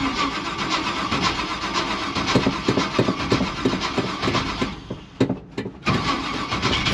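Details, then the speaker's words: 1956 Chevy gasser wagon, big-block, long-stored in a snowbank, fresh battery, cranked via the coil wire: starter grinds the engine over in uneven bursts with a brief pause, never firing; likely no fuel in the carburettor float bowls. "oh yeah she'll go got no fuel in the bowls probably this thing actually was sitting in a absolute snowbank hey man she's not happy"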